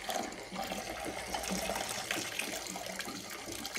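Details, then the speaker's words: 1971 Triumph TR6, stalled barn-find project: fuel pump in the tank gurgles with a gritty crackle like sucking up gravel as the pickup drags sediment off the tank bottom. Fuel is bad, with a rotten-orange smell. A clogged pump filter is suspected as the cause of no fuel to the front. "So, the fuel pump probably has a filter in it that is uh causing itself to clog."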